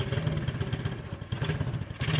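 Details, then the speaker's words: New Orion RXB 125cc pit bike, Honda-copy single, just after first-ever start, carb not yet adjusted: slow, uneven loping thump sagging as if about to stall; idle set too low, then turned up. "Wyatt, come hold this light. I got to turn the idle up. Too low."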